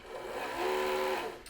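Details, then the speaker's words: RC submarine bench test before water: a short smooth electric whirr swelling and easing with throttle, no scraping or chatter; the drive motor works perfectly fine; normal motor run. "All that said, everything is working perfectly fine."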